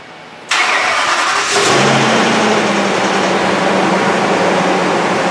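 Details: 2010 ambulance after leak repairs and a fix at an exhaust pipe joint that had finger-tight fasteners and no gasket, now gasketed with new hardware; quick crank catches at once into a steady, even idle, no puffing or ticking; runs clean.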